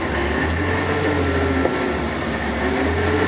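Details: 1994-era Ford F-150 with 300 straight-six after a cold-weather fuel filter change: steady low idle with an uneven surging beat every few seconds; still runs rough but only at idle, cause not found.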